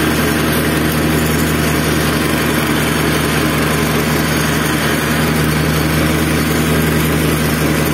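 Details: Zipper plate compactor single-cylinder engine (arrived smoking, running unevenly, stalling, lacking power), after fuel system washed and cleaned, strainer refitted, tank refuelled, started on choke: steady even drone at constant speed, no surging or stumbling. Repair judged successful.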